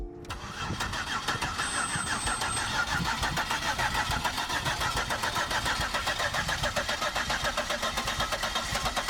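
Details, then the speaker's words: 2002 Buick LeSabre V6 sitting three years, new battery fitted, cranks briefly then catches and settles into a steady, fairly even idle with a faint rapid tick and heavy smoke; owner suspects a broken injector wire behind the check engine lights. "yeehaw it's alive baby look at the smoke show oh my god this thing isn't live"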